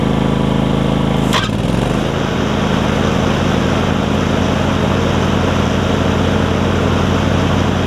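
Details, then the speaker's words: John Deere LX277 riding mower after swapping in a deck from a parts LX178: cranks briefly, catches around the second mark, settles into a smooth, steady run with no knocks or stumbling. Normal running. "so like i said that's good uh wrap this video up next and here like i said everything works like it's supposed"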